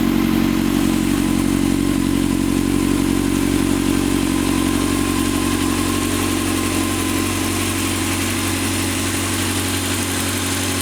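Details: 2006 Honda CBR600 F4i engine idling steadily with a light, regular ticking of about four per second over the hum, evident at 10-21 and 32-38 seconds.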